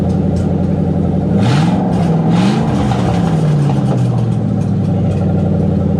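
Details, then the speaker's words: '97 Ford Mustang Cobra on stands during removal of an exploded clutch, run with the exhaust open at the headers: a loud raw rumbling idle with a couple of throttle blips, harsh and unmuffled, the roar of open headers. "all right guys so this exhaust clip is gonna be with open headers and i am i'm also terrified i know it's gonna sound awful"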